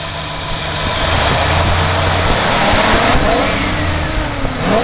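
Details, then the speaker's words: Ford with replacement engine fitted at 40,000 miles, now 105,000 miles; old balancer put on newer engine causes idle shake that goes away when revved; engine runs up from idle to steady higher speed, smooth pulsing. "What they did was, they put the old balancer on the newer motor. That's why this motor shakes. Well, it's got 105,000 on it, so it's had 60-some thousand miles put on the motor. It goes away when it's revved up."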